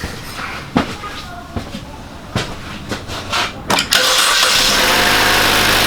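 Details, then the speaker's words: 2015 Holden Barina RS (Chevy Sonic) 1.4 turbo, first start after a turbo replacement for a P0229 underboost code, before warm-up and oil change: a few clicks and clunks, then catches first crank and settles into a steady, even idle; sounds healthy. "it doesn't sound horrible does it"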